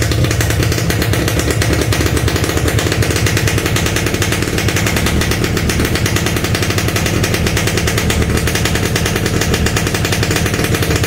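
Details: Yamaha RX-King, standard, hard to start when the engine is cold, at any time of day, and needs the choke pulled; rapid, loud, uneven crackling two-stroke beat just after a cold start, before the engine reaches temperature.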